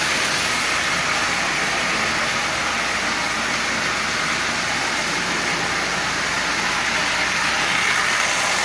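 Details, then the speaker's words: Old, long-stored Marx 898 toy train locomotive, cleaned, lubed and tuned, pulling 23 tin litho cars: steady gritty whirring with rough edge, substantial gear noise from a noisy intermediate gear; may quiet as it runs. "noisy and I've lubed it and as it runs it will very likely become less noisy but it's definitely gear noise"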